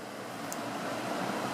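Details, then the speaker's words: Edison box fan with a Toastmaster-branded motor, after cleaning the motor and blades, running on low speed: a soft, steady whir with no rattle, ticking or scraping. It runs fine, about the same as before the clean-up. "running about the same as it did before but then again I don't think it was was running running badly before I mean it was running fine"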